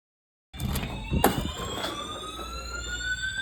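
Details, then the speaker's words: Building fire alarm evacuation whoop heard during the morning evacuation; a loud tone sweeps slowly upward, holds and repeats; described as scary and loud. "Well, this is just a little bit scary. Just a little scary. It's kind of loud."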